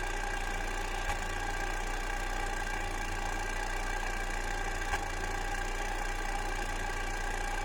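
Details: Fiat Coupe 2.0 16v at idle: low steady idle with an occasional stumble, about twice in eight seconds, a cylinder misfire.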